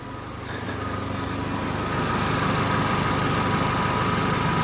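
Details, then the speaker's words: Copart-bought Vauxhall/Opel Meriva at idle with aircon on, compressor clutch engaged: a steady even idle as the condenser fan whirs back on without disengaging. Code 95 (airbag switch) is shown. Normal running. "The fan was just spinning again then. Hasn't gone off yet, but I was waiting for it to disengage. Fan's on again."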